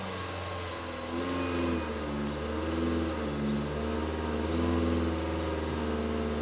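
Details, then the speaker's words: 2002 VW Polo 1.4 petrol with EPC light and code P1553, idling with throttle opened: hums at idle and only wavers, never picks up revs, manifold pressure reading atmospheric. "we're getting no revs at all and nothing happening"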